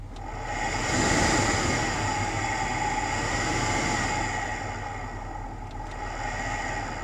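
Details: Dodge Grand Caravan blower motor: steady fan rush with a faint constant whirring hum, consistent with a worn blower motor bearing.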